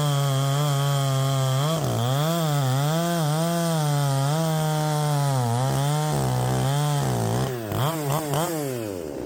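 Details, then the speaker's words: Modded Poulan Pro 5020 chainsaw, 20-inch bar, cutting wood: the note wobbles about four times a second, then stumbles and fades. Surging and bogging under load; owner suspects the coil heating and losing spark, the spark plug, or a carburetor needing rebuild. "so yeah there's something not quite right maybe I need to rebuild that carb"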